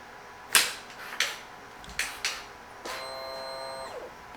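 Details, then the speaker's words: 2023 KTM 300 XC two-stroke after ECU reflash, power valve reset with throttle held at 50% on power-up: sharp clicks about a second apart as the electronic power valve sweeps, then fuel pump whirrs; normal power valve cycling. "And then you hear the electronic power valve work back and forth. And the fuel pump will run 3 times for about a second."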